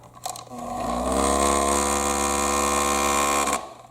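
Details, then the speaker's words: Thumper Mini Pro 2 massager that sat unused for years, just repaired (switch cleaned): harsh, fast rattle over the motor's steady buzz throughout, sounding out of control. "That doesn't sound like it should. That sounds like it's way out of control."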